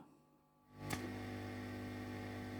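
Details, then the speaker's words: 1968 Twin amplifier, ground noise hunt with the chassis earth removed and a ground wire moved to test points; quiet, then a steady low mains hum switches on and holds at the usual ground point, adding hum. "je fais des tests de masse pour déterminer un peu d'où vient ce bruit bizarre"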